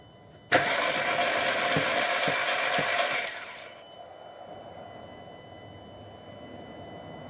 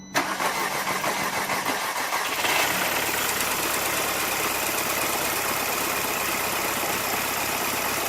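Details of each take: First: 2006 VW Passat 2.0 turbo, cranking: the starter spins the engine fast and unusually freely and evenly with no compression pulses. Compression is zero on all cylinders and the intake camshaft isn't turning because the timing chain snapped; replacing the chain fixed it. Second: 2006 VW Passat 2.0 turbo that had no compression and would not start because of a snapped timing chain (intake camshaft not turning); after chain replacement it gives a short crank, a quick catch and a steady, even idle with no knocks; normal start.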